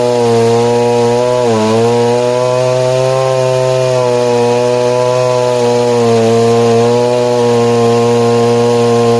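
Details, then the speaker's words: 1960s Stihl 08S/07S two-stroke chainsaw, 21" bar, 0.404" chain, cutting: deep steady drone holds pitch, dipping briefly and pulling straight back; normal cutting under load. "But what's really impressive on the 08s as well is just the weight in the crank. When they're up to speed, the head's up to speed, it just doesn't let go. Just holds on to those RPM."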